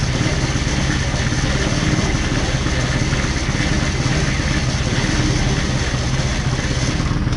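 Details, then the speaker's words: Small engine on a buggy with a newly installed motor, running at a steady rapid beat with a rough scraping buzz; the drive chain still rubs slightly on the frame, owner hopes it will seat itself after running. "Tu t'inquiètes pas trop pour le bruit qu'il y avait ici. En fait c'est la chienne tu sais, qui touche encore un peu ici là, au cadre là."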